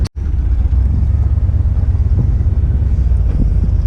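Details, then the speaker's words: V8 with mufflers idling after stuck valves were freed. Deep, smooth, even, quiet burble with no knocks or ticks; a healthy idle. "this thing sure is quiet it's got two four mufflers on it"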